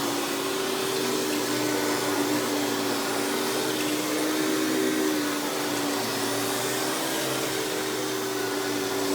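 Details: Hoover PowerMax Supreme 850 S3609 canister vacuum, 1990s, non-original hose, on high speed with power brush: steady, even motor roar with smooth brush-roll whir, no rattles, surging or grinding; runs very smooth, not the quietest; normal running.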